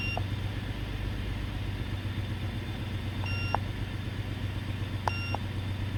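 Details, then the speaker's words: 2005 Toyota 4Runner V6, intermittent misfire with check engine light: a low, fairly steady idle hum with scan tool beeps; code P0304, cylinder 4 misfire, ignition coil suspected. "here we have a p0 304 it's a cylinder 4 it's a cylinder 4 misfire"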